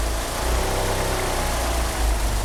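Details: Car with 850cc injectors and a slipping steering pump belt, unable to rev up: deep uneven, lumpy wavering idle; rough idle, cause not found.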